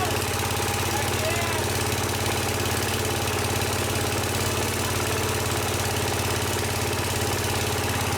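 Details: Case 222 lawn garden tractor, sat about four years, after starting fluid: engine catches and keeps running at a steady, slightly uneven idle, rough but sustained; running after long storage.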